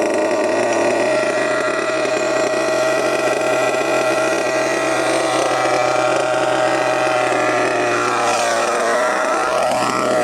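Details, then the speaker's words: HPI Savage GT6 with F4.6 nitro engine after needle set 2½ turns in from original 1½: high, steady, even buzz with no sag or stutter; pulls cleanly with corrected mixture, gear changes now working. "So that's 2 and 1/2 turns, is it not? 2 and 1/2 turns in from the original one and 1/2 turns."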